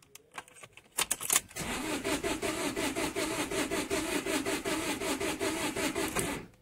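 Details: 2008 Vauxhall Combo, no fault codes, scan tool loses comms while cranking and fuel rail pressure reads 0 kPa: starter cranks at an even rhythm about two and a half beats a second but engine never catches; crank no start.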